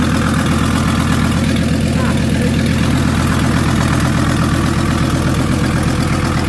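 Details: VW T4 van with the owner's old engine refitted, running for the first time in 2 years; alternator snapped off. Even, steady diesel clatter with a smooth unchanging beat, no knocks or misses; normal idle.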